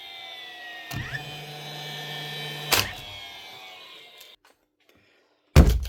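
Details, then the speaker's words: DeWalt DCN660 cordless nailer: the motor winds up about two seconds, then an empty thunk, repeated; it cycles but leaves no mark in the timber. Likely a broken driver/firing pin assembly. "so just like he says, it's making all the noises, but it's just not doing anything. You know it's more than likely a broken pin whenever it does fire like this, and it's not leaving any mark in the timber."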